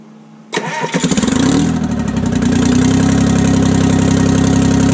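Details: 1968 Detroit Diesel 3-53T after total overhaul, restarted while still stone cold (engine about 4.5°C/40°F, outside -3°C): brief crank, fires right up into steady even idle with smooth low rumble; good oil pressure, no leaks; healthy.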